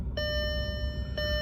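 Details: Audi with adaptive air suspension, engine off, yellow suspension warning light on: two clear mid-pitched chimes about a second apart over a low hum; system over-inflated, suspected faulty pressure relief valve at the valve block (max static pressure 16 bar).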